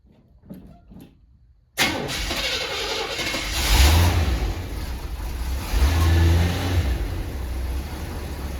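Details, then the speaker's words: Chevrolet C10 farm truck with new twin-tailpipe exhaust and tune-up, first start after about a month sitting: engine catches and revs twice in smooth deep swells; subdued, even exhaust note with no rasp or leak. "Holy moly. Listen to him. Nice and quiet."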